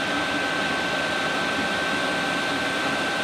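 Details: Newly installed 8 kW Chinese diesel heater running after fuel priming in a 46-degree insulated room, pump clicking faintly: smooth steady blower rush with a constant high whistle, no surging or knocking, producing warm air; normal running.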